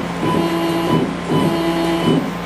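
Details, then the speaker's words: CNC mini-mill stepper axes after tuning, velocity 50 in/min on X, Y, Z, acceleration 5 in/min², with a delay set: steady tones in timed bursts, one per jog move, smooth with no grinding; axis moving normally. "right now I've got the um motor velocity set to 50 in a minute X Y and Z I've got the acceleration down to 5 in a minute squared technically"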